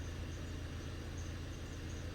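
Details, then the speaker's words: Ford Transit Custom 2.2 diesel running for a few minutes after bleeding the system during a service: steady idle clatter with a faint high chirp; belt-side squeak, suspected belt, pulley or tensioner, owner doubts it's the belt; not confirmed. "squeaking can you hear that squeaking that's rather a belt or that's a pulley or tensioner or something like that but that's definitely that's definitely squeaking"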